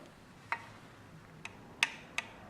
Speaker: And if you can move your blade, you hear that clicking back and forth? That screw's too loose.